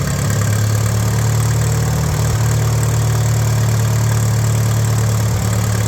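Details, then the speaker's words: Tractor owned 36 years, first run after sitting, no coolant in it, run briefly with jumper wire to coil; smooth, even low rumble at steady idle, no knocks or misses, 30 lbs engine oil pressure; normal idle. "I knew this thing would run I knew it sounds good I mean I got to play with the carb a little bit but it's not leaking gas out I must have done something right there it's got 30 lbs of engine oil pressure cool huh"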